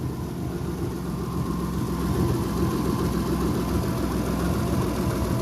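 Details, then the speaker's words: Subaru SVX idling after a new ECU fixed its no-start, with a suspect vacuum leak at an injector connection: even idle with a faint quick puffing tick, three to four per second, on the exhaust note; small exhaust leak. "Put the new ECU in. Fired right up. A little bit of an exhaust leak."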